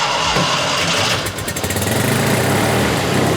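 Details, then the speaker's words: Rare Fiat 500-based Abarth 695 twin-cylinder racer with Weber carburetor and added electric fuel pump, just started: ragged, lumpy stumbling beat with missing pulses, running on one cylinder of two before clearing out; later revs nicely above 2000 rpm with good oil pressure. "running on one cylinder instead of two but i think it's gonna clear out in a second there she goes"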